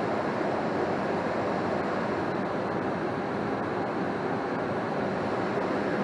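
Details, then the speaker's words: 80% single-stage Goodman natural gas furnace, fired, with an X13 blower motor drawing 1.93 amps. Steady, even burner and blower roar with no rattles, surges or squeals. Normal furnace operation. "all right so the furnace is fired i'm going to grab the amp draw for the blower"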